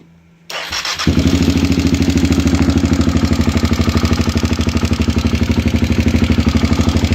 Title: klx250 стук двигателя изза износа цепи грм